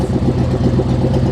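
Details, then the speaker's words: 1976 GMC Vandura 3500 RV motorhome V8 after some work, warming up; deep rumble with uneven lumpy beat and occasional stumbles, misfiring; still dropping occasionally, running rough, sputters and bogs under load; cause unconfirmed. "But if you have an ear for engines, you'll know that it's still running rough. Quite rough. You've heard it sputter. When we lay into it, it tends to bog."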